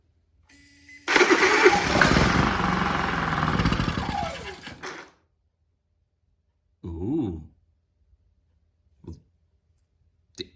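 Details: Honda EU30is inverter generator bought untested, after new spark plug and easy-start spray: engine catches with a rising buzz, runs a few seconds then dies; fires on fresh spark, no panel lights come on.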